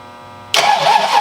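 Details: 1986-93 Mustang V8 first start after AFM-Vortech V3 Si supercharger kit and tensioner install: starter catches and V8 fires at once into a steady rumbling idle with no stumble.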